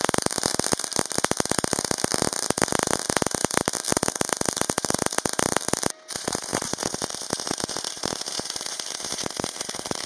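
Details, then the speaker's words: Parkside PMSG 200A2 multi-process welder, MAG on 8 mm plate with 60° bevel, 2 mm gap, 0.8 mm wire: steady dense bacon-frying crackle with one brief pause; stable arc, result satisfactory but at its thickness limit. "नतीजा बिल्कुल भी बुरा नहीं है, फ्यूजन अच्छा है।"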